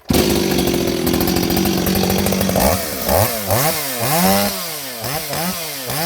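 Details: Repaired Stihl 026 chainsaw with an aftermarket muffler, baffles removed, hollow, fitted with a pipe; started in a cold shop. Steady high scream at full throttle, then clean, even throttle blips without stumbling. Runs good, oiling good, healthy.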